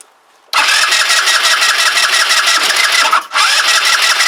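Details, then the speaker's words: Kymco Agility 125 scooter, newly refitted with wheel and exhaust, starter whirs steadily with a brief pause but never fires though the pump feeds the carb; owner wonders if the timing is out, unconfirmed. "nope she ain't gonna go I wonder if it's time in related we've got the timing us about face somehow"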